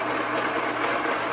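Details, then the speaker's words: Homemade rock tumbler that has run non-stop for many months: a steady, harsh rushing noise with a faint hum, growing louder over time. The owner thinks the worn bearings make most of the noise; greasing them did not help and the drive belt is breaking. A rebuild comes next. "this homemade tumbler of mine is getting noisier and noisier so what do we do about that I think it's the bearings make the most of that noise"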